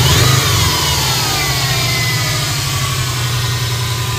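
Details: 2005 Subaru Impreza WRX at idle: thin high whine and a faint wavering whistle over a steady idle, with a turbo whistle heard while driving; source of the whine unknown.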